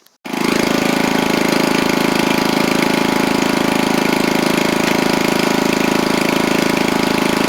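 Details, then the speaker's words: John Deere LX176 riding mower after a new transmission belt and pulley fixed a no-drive fault, test-driven before the deck goes back on: steady, even single-cylinder beat with no misses or knocks; normal running. "Alright, before I get the deck on, I'll show you it drives like it's supposed to."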